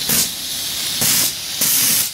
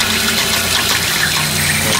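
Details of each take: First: Steam engine boiler at about 120–125 psi: the pop-off (safety) valve starts lifting, with sharp repeating bursts of hissing steam that build toward venting fully; normal release at set pressure. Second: Steam boiler at about 120–125 psi, wood-fired: valve opened, injector draws water from the container but it gushes out the overflow instead of feeding the boiler, with steady hiss. A second injector also failed; cause unclear, replacement from England awaited.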